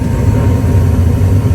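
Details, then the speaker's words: Gas furnace tune-up: after the inducer motor and hot surface igniter come on, the burners fire right up with a steady, even low roar and no bang or flutter. Normal, clean ignition. "Fires right up. Excellent."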